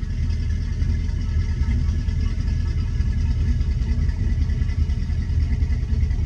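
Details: Twin-engine boat at 700 rpm idle after the starboard starter was fixed: steady low rumble with a slight watery burble, even and unchanging; cooling water fills the pipe and spills out normally, engine healthy.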